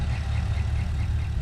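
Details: 2012 Camaro SS LS3, about 160k miles, squeak most noticeable at idle, louder with oil cap off, traced by screwdriver stethoscope to the passenger rear; heavy V8 idle with faint regular chirp about five times a second from a bad lifter.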